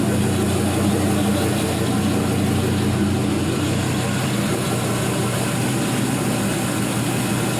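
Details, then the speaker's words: 4.8L Gen 3 LS V8, 175k miles, new lifters, on test stand, warm in closed loop, oil pressure about 42 psi: steady even idle under music, no misses or knocks; no weird noises, healthy. "there's just no drama on this one [Music] no weird noises no drips"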